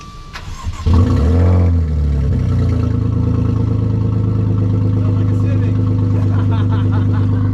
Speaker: If you notice, the exhaust is off. I don't know if it'll start. Will it auto start? I don't think it will right now. I'll start it. Here's what it starts out without. It sounds like without an exhaust.